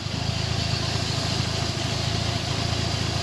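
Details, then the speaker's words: Old Toyota Celica Supra with the 4M engine, bought sight unseen, first run after arrival: fast, light ticking over a steady idle with a faint whirr on top; injector tick and apparent pulley noise, otherwise runs well. Ticking and pulley noise at idle. "Sounds good. I can hear the injector and it sounds like some pulley noise. Besides that, like this thing sounds amazing."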